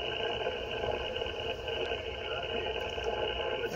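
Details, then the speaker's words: HF radio receiver near Renogy 1000 W inverter, solar charger off, inverter on: hiss covered by stacked steady buzzing tones washing out the station, clears when inverter is off; RF interference from power inverter. "now we're going to turn on the inverter solar's off inverter on you see that noise start to come up on the right there and right in the middle completely washing out the station"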